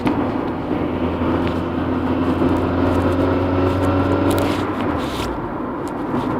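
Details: Honda Integra DC2 while driving: a steady dull thumping, about three per second, tied to road speed. The cause was a worn half shaft combined with an aftermarket driveshaft. Fitting factory second-hand parts cured it.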